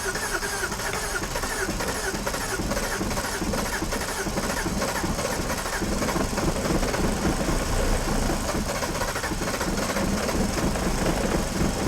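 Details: Used BMW 330i, a written-off non-runner first started after collection with a jump pack: uneven, lumpy idle with irregular pulses and a faint tapping; rough running.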